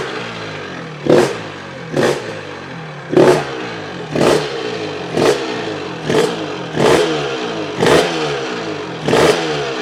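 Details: Honda RS 125 GP two-stroke on its first start after 20 years, with the carburetor cleaned; crisp throttle blips about once a second over a ragged, popping idle, catching and revving cleanly, so it is running normally.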